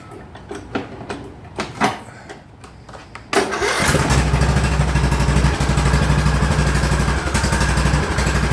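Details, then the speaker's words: Craftsman YTS3000 lawn tractor single-cylinder engine: cranks, catches, then idles with an uneven beat and an occasional hiccup; owner suspects the carburetor and a replacement is coming. "that hiccup is what I don't like that's why there's a carburetor coming"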